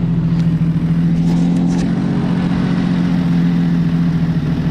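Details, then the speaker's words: Jeep Cherokee petrol engine running with Seafoam treatment: raw, rough low hum with uneven puffing pulses from an exhaust leak down low. "clearly has an exhaust leak right down there but the seafoam is doing what it's supposed to do but yeah there's definitely uh i'd have to say an exhaust leak right here"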